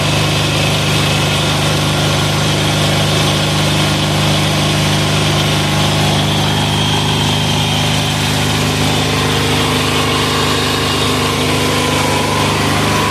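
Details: 186FA single-cylinder diesel running on Road Tech synthetic blend 10W-30 motor oil as fuel at about half throttle. A steady, even chug at idle with no stumbling or knocks; it runs smoothly on the unusual fuel.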